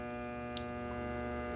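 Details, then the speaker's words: KRXNY 2000W pure sine wave inverter, 48V DC to 120V AC 60Hz, running an 1100 W microwave: even, steady electrical hum with no surging or dropouts; runs with no issues. "it runs it guys no issues"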